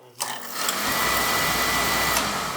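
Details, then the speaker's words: Beckett oil burner on a W.H.B. Smith boiler, with recurring lockout trips: continuous raspy electric buzz over the burner roar as the ignition transformer sparks constantly; the control keeps it sparking nonstop though the transformer isn't designed for constant load; transformer possibly weak. "this transformer is actually not designed to stay on constant load like this this one's constantly sparking"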